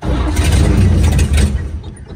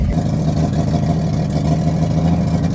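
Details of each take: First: 1954 GMC 150 barn find with new plugs, wires, rotor and fuel line, glass-top fuel pump full of gas: starter churns at a quick, even rhythm for about two seconds but it never fires; cranking, no start, cause not confirmed. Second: 1954 GMC 150 three-quarter-ton with its six-cylinder, revived after sitting 35 years with new plugs, wires, rotor and fuel line, moving in first gear: deep, even exhaust note, no knocks or misses; running healthy.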